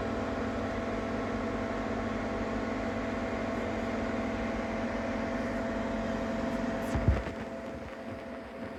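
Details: Ninja Foodi 8-in-1 running cold in this recording (owner says the unbearable noise comes after warming up): constant droning hum with steady tones, a handling bump near the end; loud running noise, cause unknown.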